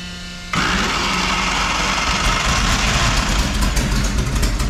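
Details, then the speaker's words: Homemade V12 race car engine, first start after months of storage, water pump not running: catches after half a second into a ragged, uneven roar with a stumbling beat; not running cleanly. "why I don't know what is this tired don't something doesn't sound right it smell right"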